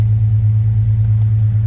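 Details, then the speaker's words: Jeep WJ 4.0, after throttle body shaft air-leak repair with O-ring for P0171 and exhaust replaced from catalytic converter back, check-engine light off: deep, steady, throaty idle with even low rumble, no hiss, misses or rattles; normal idle. "give this a second to to run for a few minutes you can hear it got a good actually it's got a really good nice throaty sound really strong"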